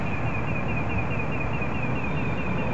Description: Just started hearing this tonight, can't figure out where it's coming from. Never heard it before either.